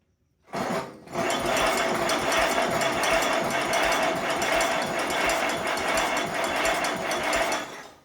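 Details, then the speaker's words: 1950s Allis Chalmers CA tractor, freshly freed seized engine after 20+ years sitting: starter churns steadily about seven seconds with no firing; no spark, new coil fitted. "We weren't getting any spark, so I went ahead and got a new coil. We'll see if that helps."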